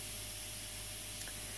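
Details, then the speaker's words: 1990 Sea Air hobby compressor, very quiet, running continuously without cycling: a steady, even hiss over a low hum as overpressure vents through the relief valve, which is normal for this unit. "And the hissing noise you hear is overpressure that is vented through this valve here. So the compressor is operating all the time."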